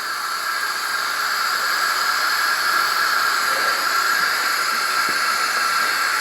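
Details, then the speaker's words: 1984 Craftsman lawn tractor, 40-year-old Briggs & Stratton engine, low compression, engine off on a leakdown test: steady hiss past the intake valve, 20 psi in and nothing on the output gauge. Owner suspects the valve is not seated or debris. "looks like an intake valve she leaking around the intake valve like crazy"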